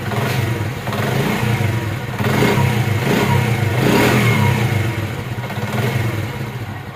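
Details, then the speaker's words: Honda CD70 motorcycle after fixing timing chain noise by refitting the leaking chain tensioner rod with an additional part: engine blips and settles with a clean, even beat and no timing chain rattle. "इसका आवाज जो है वो बिल्कुल ही प्यारा बन गया है जनन आवाज बन गया है जो पहले जनन होता है वो आवाज बन गया है अब इसमें टेम चैन का कोई आवाज नहीं है बिल्कुल ही सेट हो गई है"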